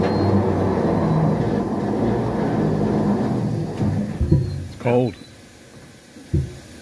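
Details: EMD SD38-2 locomotive, very cold engine, start attempt after new radiator install, straight-water cooling, cranked to clear possible moisture from cylinders: heavy churning cranking about four seconds, then weak coughs; cold engine cranks but fails to start.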